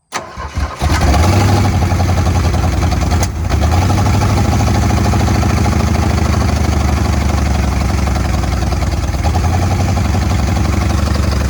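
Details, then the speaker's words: Bull nose Ford F150, flood-seized engine with water inside for 14 years, revived and not yet warm; rough uneven idle with popping pulse, some valves not seating exactly right yet. "yeah but what about the popping it's uh some valves aren't seating exactly right yet but I'm trying to warm it up and it's not very warm yet"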